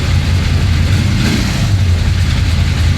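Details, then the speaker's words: 1966 Chevy Impala V8 after revival from long flood storage, before the first drive: deep steady even lope with no knocks or ticks; engine sounds really good. "That sounds really good. Wow. Wow."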